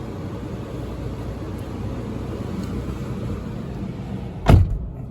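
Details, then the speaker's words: Toyota 1GR V6 petrol engine, 294,000 km, cold start after sitting two weeks; raised fast idle running rich as designed, low even rumble with no misses or knocks: normal cold-start fast idle. "You'll notice when you start the engine, see the RPM set up higher. It is actually running rich. That's what they're set up to do."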